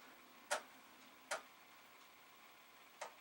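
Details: Amiga 500 just after the Commodore service-bulletin drop to reseat chips, powered back on: three sharp single clicks over about three seconds in a quiet room, ordinary floppy drive ticking at power-on, nothing wrong.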